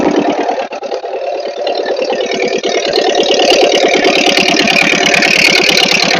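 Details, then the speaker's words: Ford 8N tractor, sat for years, after carburetor rebuild (cleaned, float adjusted), choked with a little more throttle; steady even beat about three firings a second, clean rhythm, no misses or knocks; sounded really good, normal running. "all right well I was going to say that sounded really good"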